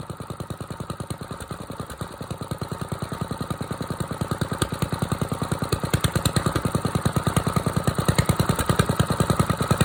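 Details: Small single-cylinder engine idling on choke after a cold start, having sat 2-3 hours in mild weather; a steady thump at about three beats a second that strengthens as it warms, with no knocks. This is a normal cold-start idle.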